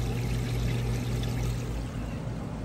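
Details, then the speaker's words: Maytag Bravos washer draining the tub after the wash cycle, heater running in background: steady low drain-pump hum under fast-rushing water, no catches or rattles; normal drain pump operation. "All right guys, we'll try to hear it over my heat running, but it is now draining the water out. You can hear it draining nice and fast there."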